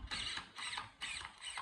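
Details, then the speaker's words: MCD Racing RR5 4WD 1/5 buggy with AGFRC large-scale steering servo on 2S (non-HV): whirs sweeping lock to lock, knocking at each end. Steering end point still set too far at 80 and needs reducing. "And then you can even hear it knocking. So that's still set at 80."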